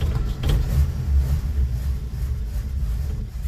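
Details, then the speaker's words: Old Nash four-stroke after fuel pump sediment bowl replaced with a fence post cap: catches with low uneven rumble then sags and dies within seconds; fuel pump seems to have lost its prime, not drawing fuel. "Kind of still seems like she doesn't have it. Oh, just not getting fuel. What's up with that?"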